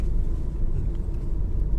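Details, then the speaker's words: Honda Civic driven hard over a hump after replacing the front drop links that caused knocking: steady low road rumble with no clunks or knocks; suspension sounds tight and healthy. "check out the difference in the drive no more knocking I've just deliberately gone over that hump really hard"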